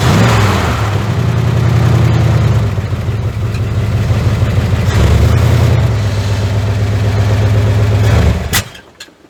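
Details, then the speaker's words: 1981 Ford F100 V8, revived after sitting 24 years and due for a rebuild: rough, lumpy running with a deep irregular knock about four a second under the exhaust; worn bearing knock. "oh yeah she still knocks like I don't know what to man that sounds terrible"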